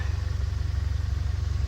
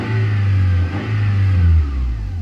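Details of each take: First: 1990 Honda Accord EX that sat over a year, has an unexplained overheating problem and was just restarted on a charged battery: a quiet, even, low-pulsing idle with no knocks or misses and no exhaust smoke, now calmed down; normal idle. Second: 1990 Honda Accord EX four-cylinder, fuel-injected, that sat over a year and overheats: the idle rises and falls on its own every second or so with the throttle untouched, tach swinging; a surging, hunting idle problem.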